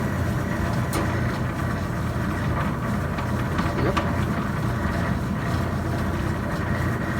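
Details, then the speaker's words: Maytag LDG312 gas dryer after replacing the gas valve ignition solenoid coils, which fixed a heater that would not stay on: steady, even drum rumble over a constant burner roar with faint ticks; heating normally. "now let's see if this heat turns on and stays on so the heat turns on right that bad boy should just stay on for a few minutes"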